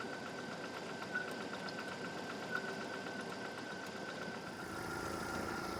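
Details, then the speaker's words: 2000 Jeep Wrangler 2.5L four-cylinder after cylinder head replacement, about 20 minutes running, at full temperature, belt tensioner tightened. Steady, even idle with only a faint belt whir and no knocks or misses; running smoothly. "let it run like I said it's probably been running about 20 minutes it's reached full temperature and it sounds great now"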